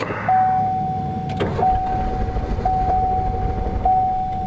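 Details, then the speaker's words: Long-unstarted truck on a jump start before scrapping: strong even cranking, then the engine catches and settles into a steady idle; cranks healthy and starts fine. "Yeah, well, it's cranked over good. There we go. Make sure she stays idling."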